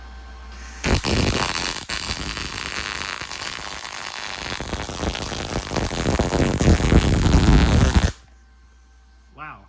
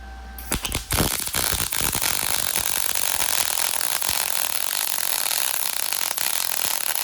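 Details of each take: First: MIG welder powered from a Taramps 12k car amplifier at 120 V with the welder turned way down: a steady, unbroken crackling sizzle for about seven seconds, then a clean cutoff. A stable, healthy arc. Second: MIG welder powered through a Taramps 12k car amplifier, set to 18 volts: harsh popping crackle at strike settling into a steady hiss with occasional pops; arc sustains but is poor and erratic, possibly settings.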